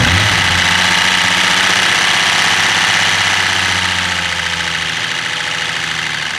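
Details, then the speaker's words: Turbo BMW E36 wagon after rebuild, first start with muffler fitted, top end still noisy from unbled lifters: strong even engine note, steady smooth hum then easing off, no knocks or misses; healthy engine running. "it'll get quieter as we rip on it but it sounds incredible like one thing this engine does have is it does sound really good yeah it's a good note especially with the muffler and stuff"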